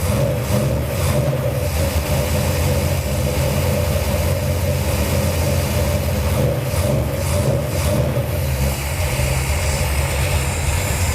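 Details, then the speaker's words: 1978 Dodge D200 with a 451 ci big-block Mopar V8, first cold start on a new Edelbrock VRS 850 carb at out-of-box settings: deep, fairly steady lopey burble, no knocks. Idle a little slow, floats slightly high; normal idle. "Fire in a hole. Idle's a little slow, but it's idling. And it's cold."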